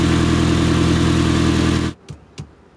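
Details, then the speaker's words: 2009 Mitsubishi Galant petrol engine idling right after catalytic converter replacement: rapid puffing tick in the exhaust note from an exhaust leak at loose flange bolts, fixed by tightening them. "so let's start it up and see if the Stila sounds like an ice cream truck no it doesn't but it does have an exhaust leak"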